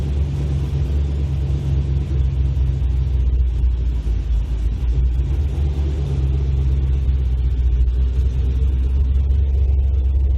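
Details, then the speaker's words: Fairmont running at a steady idle after its build work (fan wired, transmission cooler lines plumbed): deep, even rumble with no knocks or misses, but the exhaust is louder than the owner hoped. The owner hopes it won't drone on the highway. "So it's a little louder than I'd like. I was hoping for nice and quiet, but hopefully it doesn't drone on the highway."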